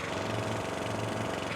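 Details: Troy-Bilt XP Horse lawn tractor engine: small single running steady with sharp raspy puffing on every firing stroke; exhaust leaking because the manifold is not bolted on.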